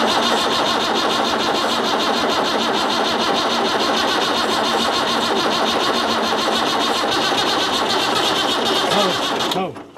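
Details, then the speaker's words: Antique farm tractor pulled from a creek full of water: steady fast cranking for about nine seconds without catching, then stops; turns over and seems to want to start but won't fire. "you didn't hear it wanting to start I did hear it wan to start"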